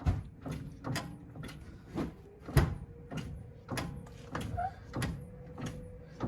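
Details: Ford Super Duty front-end inspection, steering rocked back and forth: dull clunks about twice a second from play in the passenger-side outer tie rod end.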